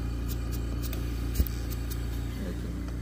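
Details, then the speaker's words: Invacare Perfecto 5-liter oxygen concentrator running, air heard flowing from the outlet: steady low hum with an even fast pulse and no rattles or squeals; running normally. "kind of hear the air just flowing out of there"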